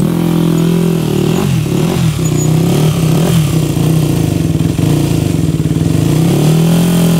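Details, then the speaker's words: Rebuilt 2001 Yamaha WR250F dirt bike being bump-started: fires in uneven pulses, then bogs and fades; ran and shifted well but won't restart after shutoff even with hot start; owner suspects lean jetting or rebuilt valves not seating. "but um yeah it it ran pretty good went through all the gear shipped it nicely but as soon as we shut it off and tried to start it again it won't start"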